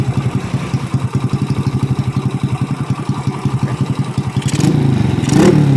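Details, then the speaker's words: Honda Supra Fit C70-body motorcycle on a newly fitted PE24 carburetor, hard to start, spark plug black and sooty: choppy, uneven popping that stumbles as revs climb; seemingly running too rich and misfiring, pilot jet to be reset. "I've tried making it start, it's messed up, bro, bro, brebetbrebet, let's open the carburetor, we'll reset it, and we'll check it again and check the spark plug again."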